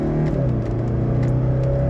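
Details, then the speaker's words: 1985 Mercedes 300SD (W126, 5-cylinder turbo diesel), freshly finished, full-throttle run from a stop on a straight: strong, even diesel drone climbing steadily with no knocks or misses: normal acceleration. "this is an awesome engine all right there we go this is officially the fastest 126 300 SD that I've driven"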